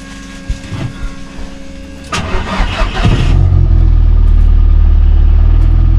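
A few seconds of quiet, then the starter cranks briefly and the engine catches into a steady, even idle; it starts cleanly.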